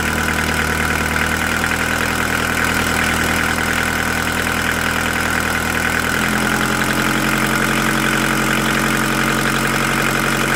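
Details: VW T4 1.9D diesel with a sharp double knock that changes as revs rise; a tapping appeared after an oil change at about 2000 rpm, first blamed on hydraulic lifters, but teardown found a knocking piston pin; overhaul needed.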